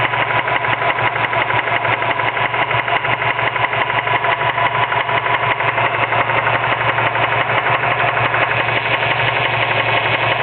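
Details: Mazda 6 petrol engine idling: steady, rapid knock from the serpentine belt drive caused by worn idler pulley bearings; fixed by replacing belt, idler and tensioner pulley.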